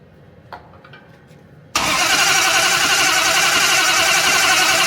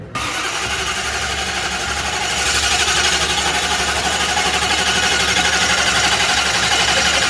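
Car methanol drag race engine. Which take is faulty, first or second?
first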